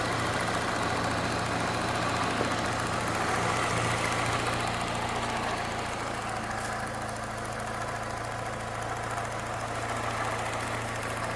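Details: Peugeot 207 1.6 VTi at idle: steady light tick about four per second, seemingly from the right side; cause unknown.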